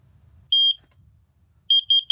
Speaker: It's worse than our car alarm. It's so sharp. It's such a sharp noise, isn't it? Yeah. It like it hurts the inside of the ear.